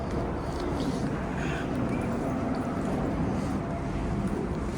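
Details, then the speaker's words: Modernized Otis hydraulic scenic elevator (replacing a 1991 Otis Series 1), car fan off, reported still broken: heavy steady low rumble and drone during the ride as the loud hydraulic pipe makes the car vibrate. "Now listen to this. The pipe's so loud it makes it vibrate."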